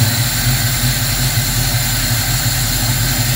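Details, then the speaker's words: Engine with a Holley Sniper EFI, started after letting the computer boot to its screen: it fires up easily and settles into a steady, even idle with a smooth low rumble, no knocks, misses or hunting; normal. "that just it just fires up just that easy so it's a beautiful thing"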